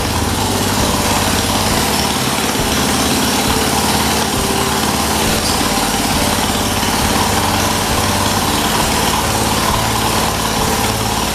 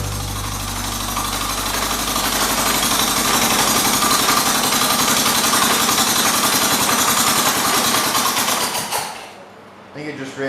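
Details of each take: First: 1978 John Deere 208 lawn tractor, single-cylinder, first start after 3 years idle, old head gasket still fitted, no muffler, carburettor not cleaned: loud raw steady bark, no puffing from the head gasket; runs healthy. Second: 1978 John Deere 208 shifting-gears riding mower, first start after sitting three years with a supposedly "blown up" engine, no muffler. Fast, rough, steady chatter of the small engine suddenly falls away near the end and dies: a stall, possibly fuel starvation.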